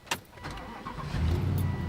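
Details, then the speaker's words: Car with original engine at 225,000 miles: short crank, catches at once and settles into a deep, even idle with no knocks; sounds great for the mileage, like a German machine; normal start and idle. "sounds pretty good to me now this thing is worrying almost like a german machine it sounds great for all that mileage on it"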